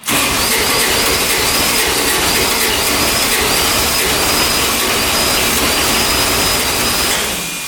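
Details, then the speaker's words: 2007 Kubota RTV900 diesel UTV after valve work, which had been blowing white smoke: starter whirs with uneven compression pulses, fuel reaching the injectors, but it won't fire; owner suspects a blown head gasket. "We're getting fuel to the injectors here. a good stream going to the injectors here and still nothing. It sounds like it wants to fire. It just won't do it."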